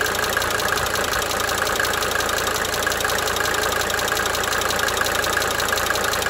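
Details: 1992 Mercedes-Benz 300D 2.5 turbo diesel idling for several minutes, brief talking at start; fast, sharp ticking over the idle clatter that comes and goes: cyclic injector ticking at idle.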